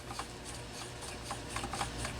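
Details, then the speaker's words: Homelite XL-12 chainsaw turned slowly by hand: a dry scraping rub with faint ticks each revolution. The flywheel drags on the ignition coil, partly because a screw head is cocked, letting the magnets flex the plate. "first place it's rolling over roof the flywheel is dragging"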